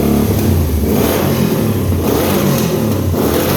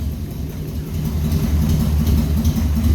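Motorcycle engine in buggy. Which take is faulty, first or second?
second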